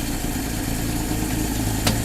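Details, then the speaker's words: Crisis's carbureted engine at a steady, smooth low idle after the fix (hardware tightened and cleaned); it earlier stalled at stops, ran shaky, quit when the air cleaner was touched, and made a vacuum sound, now gone; needs choke to start. "It was just such a weird circumstance, but that problem is all fixed. This thing runs smooth now."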